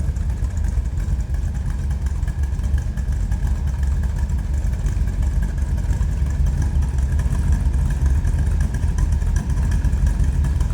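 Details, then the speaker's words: 1931 Ford Model A roadster pickup street rod, 350 small-block V8 with tri-power, heard at the rear tailpipes. Deep, steady low rumble with an even, unbroken beat at idle. Normal idle. "Nice little rumble coming out of that small block."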